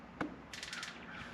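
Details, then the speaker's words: Turbo Silverado drag truck not yet running, engine off: injectors commanded from the ECU tuning software with the fuel pump on, one sharp click then a quick train of four crisp ticks, firing normally. "hear it injectors are clicking so that's how that works pretty awesome"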